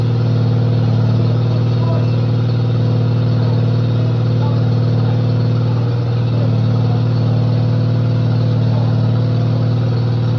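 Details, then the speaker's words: 1995 Cub Cadet Series 2000 tractor small engine after fixing fuel delivery (wasn't getting fuel from the pulse pump, now with fuel pump): steady, even low drone, no misses or surging; runs smoothly, though not charging. "fuel pump is on yeah so that was definitely the problem it's running as you can [Music] hear"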